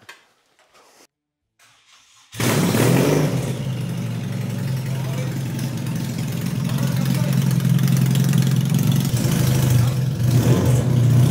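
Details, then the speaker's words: 2005 BMW HP2 boxer twin, after service following the 2022 Bosnia Rally: quiet handling, then engine fires and settles to steady, even lumpy idle with a few light blips; running properly again. "so das Moritz läuft jetzt wieder"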